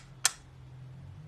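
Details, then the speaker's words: Decommissioned Argus 4 thermal imaging camera being repaired: one sharp, crisp click over a faint electronic hum. This is the shutter cycling periodically to recalibrate, per the manual. Normal shutter click. "If you hear that clicking that's happening, I did also read in the manual that it's something to do with the shutter and having to like clear the landscape every so often for when it changes. You'll hear the shutter click."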